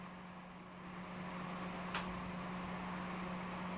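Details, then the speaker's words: Spire 120mm PC case fan run on the bench: steady hum with a loud airy rush, noticeably noisier than its rated 21 dB and louder than a CPU fan rated at 24 dB. "let's see what that sounds like I don't know if you guys can hear that but that's a pretty noisy"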